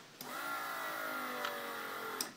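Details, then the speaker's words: Custom quad with a 1999 Honda CBR600 engine on a regular battery, fuses checked good, at key-on: a single click, then a steady electrical buzz with a couple of sharp pops and a final click, no cranking; electrical fault, cause unknown. "I don't know if you heard that then it clicks then it makes a big popping battery sort of"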